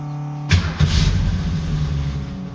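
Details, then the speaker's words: 1966 Mustang V8 with a Holley 650 double pumper carb that previously died unless the throttle was pumped, cold, after adjusting the transfer slot: the starter whirs briefly, it catches first try and settles into a steady idle after a small blip. "well that's about the longest I've ever seen this car stay on it's a little cold blooded"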